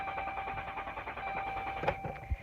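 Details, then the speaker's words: 2011 Dodge Grand Caravan no-start: rapid even clicking with a faint chime and no cranking; faulty fuel pump relay in the TIPM. "if you're here it's probably because you've experienced a situation a no start situation with your vehicle that sounds kind of like this"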